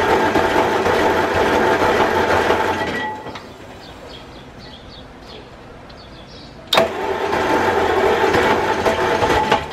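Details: Ford flathead V8 on an old farm irrigation pump, fuel bowl cleaned and new gasket fitted, carburetor not opened: loud open-exhaust cranking with brief firing that fades, then more cranking; it fires but won't keep running, starter gear possibly hanging up.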